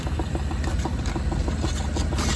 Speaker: Yeah, eight or nine is good for getting the air bubbles out. You can hear the tapping of the air bubbles passing through the hose.